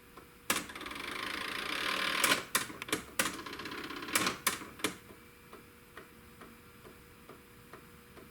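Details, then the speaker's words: Panasonic RX-DD2 DCC boombox playing a regular analog cassette: sharp uneven clicks about three per second with hissy rattle bursts from a broken gear in the tape mechanism, restored with new gear, capacitors and belt. "for regular analog cassettes the clicking and rattling sound is caused by the broken gear"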